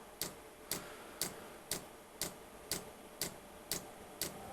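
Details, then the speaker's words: 12V diesel heater fitted with a 24V dosing pump during start-up after self-check: crisp evenly spaced ticks about two per second; fuel pump pulsing normally before the heater fires. "it's it's uh it's going from self-checking to well the pump the pump is now bumping you can hear the pump pumping bumpers pumping should fire up"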